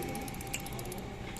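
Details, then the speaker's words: BS6 motorcycle at startup idle: rapid, light, even ticking of about eight per second from the idle air control valve (IACV), which is working normally as it regulates idle. "टिक टिक आवाज़ आ रही है ना, ये होती है हमारी IACV वाले, यानी कि आइडियल एयर कंट्रोल वाल्व।"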